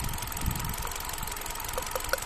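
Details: Hyundai Accent at idle: rough, uneven beat with occasional light pops, a stumbling misfire. The cause is suspected but not confirmed.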